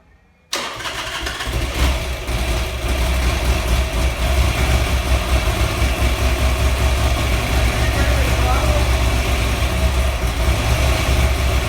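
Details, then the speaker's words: Buell XB12R V-twin on its first start after rebuild (earlier found water in the engine): catches after a brief crank, heavy slightly uneven low thump; rough first start. "so if you watch the last couple of clips you'll notice that we start the bike for the very first time and it sounded a little rough for the first start"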